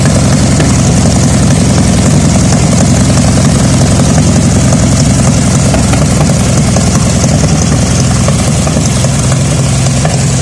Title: vw beetle engine misfires